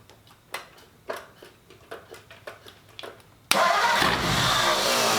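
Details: 1939 Ford hot rod V8 first fired after fitting Ford ram horn manifolds and a new custom true dual exhaust: separate cranking pulses, then it catches with a sharp bark into a steady, deep, even idle.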